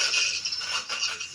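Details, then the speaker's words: Bush SRC161 stereo radio cassette on test, radio working on FM and medium wave: short bursts of rattly, hissy crackle come and go as the volume knob turns. Scratchy, dirty volume potentiometer. "the only problem is the volume control is a little bit um crackly you can hear there that's the volume control I'm moving there"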